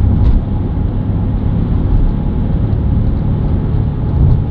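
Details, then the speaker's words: BMW F11 530d xDrive, 416,000 km, driving at 100–130 km/h: deep steady droning from the rear axle, starting around 60 km/h and rising in pitch with speed; suspected rear wheel bearings (fronts already new), rear differential considered less likely. "und der Verdacht ist für mich nahliegend dass es an den hinteren Radlager liegt man hört do deutlich dass es von hinten kommt weil die vorderen sind schon neu"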